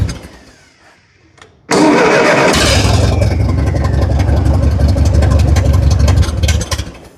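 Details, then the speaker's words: Roughly 70-year-old Massey Ferguson TO-30 tractor, long non-running, after fuel bowl priming; cranks, catches, runs roughly a few seconds then dies, won't run without choke; carburetor mixture too lean, fixed by opening the valve four or five turns. "at least it runs a lot nicer now it just doesn't want to run without choke at all"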